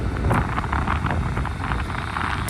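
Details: 5k all-aluminum Chinese diesel heater at full burn, output past 160–170 and hot enough to burn a hand: deep steady combustion roar with quick light fuel-pump ticking about five times a second; normal even burn.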